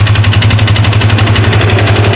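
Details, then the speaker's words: Yamaha Vixion motorcycle at idle: hard, rapid diesel-like clatter on every firing stroke, heavy low rattle; mechanic suspects the piston, later disassembled and rebored oversize; piston slap. "Ini kemungkinan besar pistonnya jadi seputaran piston nanti kita bongkar dulu kita cek"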